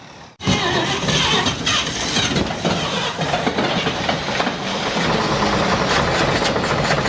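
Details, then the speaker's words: 1948 Chevy truck abandoned 58 years, first start after sitting: an old straight engine holds a steady, slightly rough idle. A rod knock was suspected, but no knocking is heard once it runs, apart from one odd noise. "it ran hey it ran it did run yes I'll give it that and it didn't sound it didn't sound bad except for that noise"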